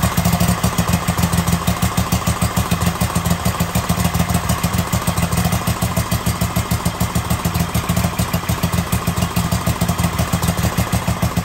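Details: Kohler 7000 V-twin after a new pushrod install and exhaust manifold refit. An even, steady chug of about three pulses a second with a firm low thump and no knocking or clatter. Steady running.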